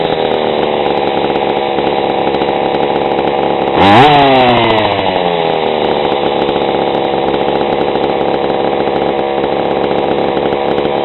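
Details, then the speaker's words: GSR40 two-stroke engine with 603 carb, TGN manifold, mild port and stock coil, before any tuning; crisp, steady idle, then a quick clean blip climbing and falling smoothly: good idle and throttle response, revving high. "good idle good throttle response Sav to rev pretty high for a stock 40 with a stock coil"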